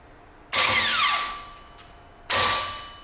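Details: New Toyota 2JZ starter for a 2JZ-GTE VVTi swap into a BMW E46 M3, bench-tested: two short bright electric whirs spinning up fast and winding down smoothly; healthy starter, though pinion extends too far for the clutch adapter plate.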